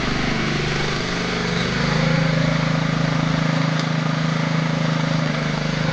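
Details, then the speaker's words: Bernard ride-on mower tractor, small single-cylinder petrol engine, probably unused about 5 years, not smoking: steady, even running with a muted tone and no knocks, much quieter than expected; normal running. "Je pense que quand j'ai mis ça en route, je m'attendais à beaucoup plus de bruit."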